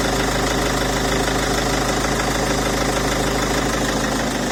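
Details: Peugeot 407 2.0 HDi diesel at idle: steady rapid ticking clatter at about three per second over the engine hum; abnormal engine noise, source unclear.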